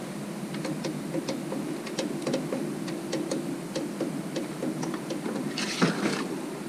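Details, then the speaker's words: Vevor 5kW 12V all-in-one diesel air heater before ignition: light even ticking a couple of times a second over soft fan hum; fuel pump priming, normal. "oh just priming up the [Music] pump"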